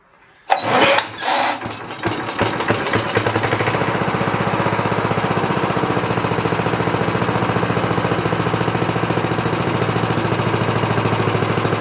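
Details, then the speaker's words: 1960s Roof push mower pulled from the trash, small engine primed: catches after a rough start, settles into steady, slightly uneven thumping that sags a little yet keeps running. "It's fading a little bit, but it seems like it's staying running."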